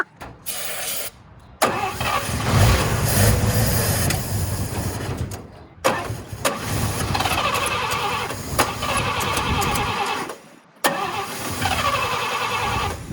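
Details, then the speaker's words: 1954 Chevy with a teaspoon of gas poured in: several multi-second cranking bursts with pauses, and it never catches; the owner suspects it needs a rebuild. "I can't tell if it's shooting gas down there or not. Most likely we need to rebuild our car."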